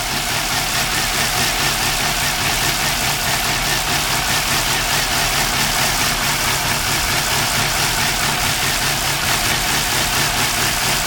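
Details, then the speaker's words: 2002 Nissan Altima (P0507) idling unevenly with an irregular stumbling misfire after all four ignition coils and spark plugs were replaced; smoke turning black, low compression suspected in cylinder three or four; throttle body cleaning next. "as you can see it's doing again pretty much the same even with all four coils the smoke is white then this time is becoming black shakes looks like there is not enough compression here in cylinder three or cylinder four"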